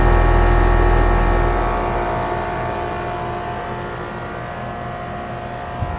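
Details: AC condenser on a no-cooling call, restarted after adding a hard start; compressor rated 19.9 A, fan about 1–1.2 A. Steady low hum, even fan rush easing slightly, no clatter or rattle: normal running.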